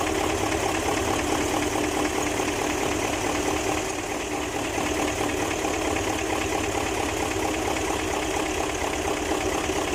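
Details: Fuso 8M20 V8 diesel idling with a rough, heavy clatter and uneven knock running through it: engine knocking.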